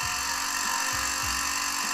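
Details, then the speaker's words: Laser 100 single-cylinder engine on its first run after 15 years, not cleaned beforehand: a high buzzy note at speed with irregular dull clunks underneath; the front housing has come loose and is grinding metal, with blackened oil seeping out. "now listen to that sound that doesn't sound quite right that's because there's some clunking going on there"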